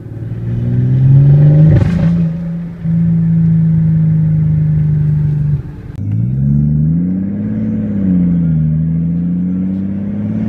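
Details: Mercedes S600 pulling hard with a deep drone that stumbles and breaks up: extreme misfires under heavy load and high boost, while low-boost part throttle is fine and idle is great.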